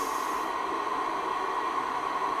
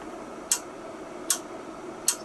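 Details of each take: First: Icom IC-R8500 receiver with an intermittent fault in a freezing workshop, working again after the frequency reference was unplugged. An even, steady hiss with a faint constant tone and no dropouts or crackle; the receiver is working normally for now, and whether it will keep working is uncertain. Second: Icom IC-R8500 receiver during repair: sharp relay clicks about every 0.8 seconds over faint hiss, unprompted and new, from relays routing the signal path below or above 1025 MHz.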